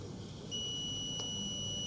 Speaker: so that is the sound so the continuity sound you can hear the sound of the meter